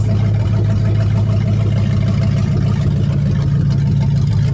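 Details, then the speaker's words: 1970 Dodge Charger 383 V8, 4-speed, 56-year-old barn-find revival, open exhaust manifolds, warming up during radiator flush: deep, steady lumpy burble with even pulse, no knocks or misses; normal idle. "Man, this thing's not half bad. It sits there and purrs."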